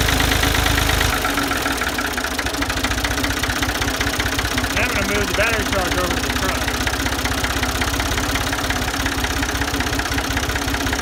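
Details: Ford 2000 diesel tractor with suspected bad injectors, just after a weak-battery start: uneven idle with a hard, clattery knock at each firing and a rough beat; tired injectors suspected, not confirmed.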